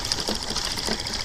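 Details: Late-1800s/early-1900s Stirling engine machine with a small generator: light, steady clicking about twice a second over a soft hum, its intended metronome-like sound. Running normally.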